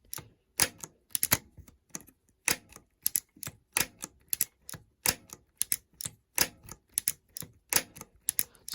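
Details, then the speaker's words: Stuck Shimano Dura-Ace 7800 10-speed road shifter, lubed with the bike upside down. It went from needing 4–6 attempts to engaging on nearly every click: crisp, sharp ratchet clicks in uneven bursts, each catching cleanly. Normal shifter ratchet engagement. "So now we're down to every other. So that's a good thing. You can hear it now working on just about every single"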